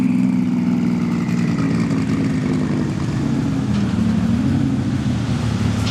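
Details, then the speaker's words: Porsche 997 Turbo on dyno at full load after O2 changes and new NTK lambda sensors: steady heavy drone that never sharpens or pulls cleanly; bogging from running super rich, needs full recalibration with less fuel. "Sounds like it's struggling. The Emre's doing his thing in there. So this is down compared to the other lambda sensors because it's running super rich now."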